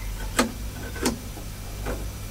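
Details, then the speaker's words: Hammond L 222 organ after 10 days of sewing machine oil drops for a squealing tonewheel generator: low steady hum with no squeal, a few separate clicks; generator running normally. "as you can hear she spins like a kitten so I think dropping some oil in the generator did the thing"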